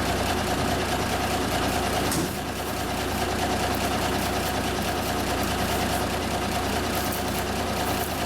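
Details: 1974 Kenworth W900A, Cummins NTA420 diesel, idling after three years sitting: low, steady idle holding an even beat with no misses or clatter. Normal idle.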